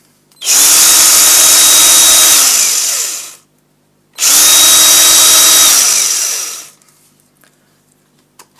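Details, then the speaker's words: Ryobi One+ drill, bought as spares/repairs, on a Ryobi battery: two clean trigger pulls with a bright even motor whine spinning down smoothly; trigger sticks in slightly but the drill runs normally. "already used this anyway and I can say without a doubt it does its job"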